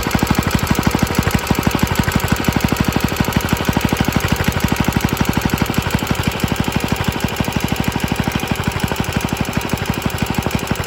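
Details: Rattly running from an extremely early 1954-55 Suffolk Iron Foundry Model 1A engine, started still cold on a substitute carburettor: fast sharp firing beats about three per second with metallic clatter on each stroke; cause not confirmed.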